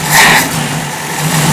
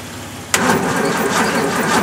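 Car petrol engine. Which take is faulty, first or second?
second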